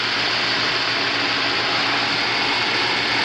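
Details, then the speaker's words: Home inspection of a swimming pool's equipment: the main pump and the second pump are both on. An even, steady rushing hiss over a constant low hum, with no knocking or surging. Normal running; one pump's timer does not work. "there's the main pump there's the second pump they're both on"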